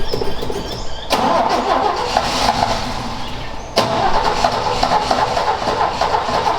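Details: Ford XA Falcon long parked outside, cranked with a hot coil after refilling the float bowl. Two cranking bursts, starter turning it steadily but never catching. Cause unconfirmed; owner suspects a poor distributor cap and later finds the float bowl empty.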